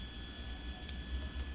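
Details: Refrigerator compressor after fix, previously very noisy and vibrating: soft steady low hum with faint thin tones, running quietly; normal quiet compressor operation.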